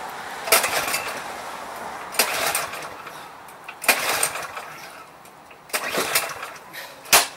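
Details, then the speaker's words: Craftsman 179cc 22-inch snowblower with Powermore engine, primed, old contaminated fuel in tank: five pull-start attempts about two seconds apart, engine never catches; no start from stale fuel. "No start. Now, let's check the electric start."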